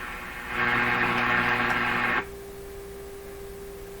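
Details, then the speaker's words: RCA Victor A38 shortwave tube radio with weak AM broadcast band reception: signal applied past the antenna coupling capacitor. Loud hiss and hum collapse to one clean steady tone as the AVC quiets the set; the capacitor is good. "don't think it's that capacitor so if we go back on the antenna see it's weak weak on the antenna but not weak on the other side of that capacitor"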